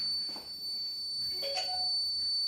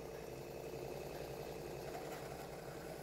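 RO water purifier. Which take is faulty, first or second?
first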